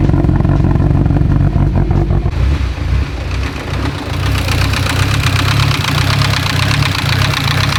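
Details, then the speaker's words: Mitsubishi Evo 10, started after sitting in another shop; rough loud idle with uneven rapping from the top end, no check engine codes. "it is knocking really loud so and it's coming from the top end"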